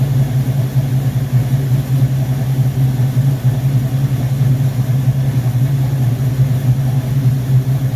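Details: Rebuilt Rochester Quadrajet 7029202 from a 1969 Corvette (ethanol-damaged fuel bowl cleaned up), first start after rebuild: deep, steady V8 idle, even low rumble with no misses or stumbles; carburetor running clean, normal idle.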